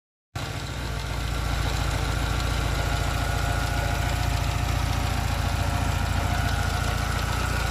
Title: Engine sound. Grinding noise alfa 75 1.8 ie indy